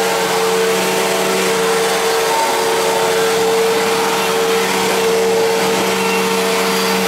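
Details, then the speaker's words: 1999 Fantom Fury vacuum cleaner at switch-on: a motor roar with a steady high whine riding on top. Abnormal grinding-like start-up noise; cause unknown. "I'll shut it off let it wind down and turn it back on cuz it really doesn't sound right when you first turn it on"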